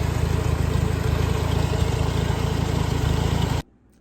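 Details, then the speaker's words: Farmall Super C tractor after replacing the broken, stretched governor throttle spring, which had limited it to about 50% throttle. Steady, even low putter with no misses or hunting; full throttle response restored. Normal idle. "so as you can see that worked the tractor runs it's functional I took it around the field I took it down the road and back runs great I've got Full Throttle response again"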